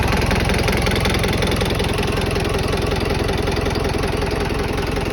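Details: Tata 709 non-turbo diesel, first start after overhaul: even, steady diesel clatter at idle with regular firing beat and no knocks or misses; healthy idle.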